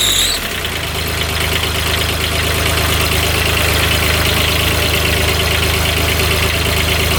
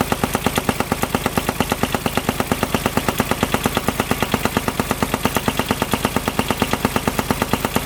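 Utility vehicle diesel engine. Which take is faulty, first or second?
second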